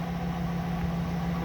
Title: RV 8 - OTHER - EXHAUST LEAK